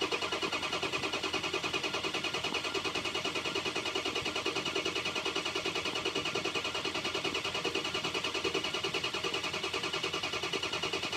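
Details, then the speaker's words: Ford 6.0 Powerstroke diesel, key on with injector pre-clatter and 48 V FICM power and sync present: starter cranks evenly about three beats a second, never fires; crank no start, max ICP under 400 psi, needs 500 psi. "okay we had sink we had fum power with the maximum ICP that I saw build there was under 400 so we have a uh we can't get to we again we need the 500 PSI just to start of just to idle"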